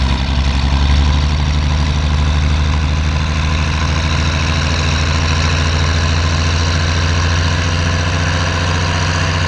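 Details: Oliver 1550 tractor diesel pulling a John Deere disk, running clean now that whatever was contaminating the fuel system has cleared; deep, steady drone holding even under load with no misses, surging or knocks.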